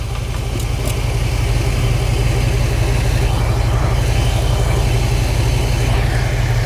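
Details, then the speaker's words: Car running with air conditioning off, A/C compressor clutch not engaged, pulley spinning freely: smooth, steady low idle with no whine, grind or squeal from the front; normal, checked because a seized pulley had nearly caused a fire. "The pulley is freely spinning and the clutch is not engaged, so it's not making any noises."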